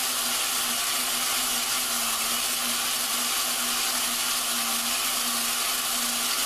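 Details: Lapping a valve with a drill and grinding compound on a 4.7 Dodge cylinder head, run not too fast. A steady drill hum under a gritty, hissing scrape; the compound is still biting, so the valve and seat are cutting properly.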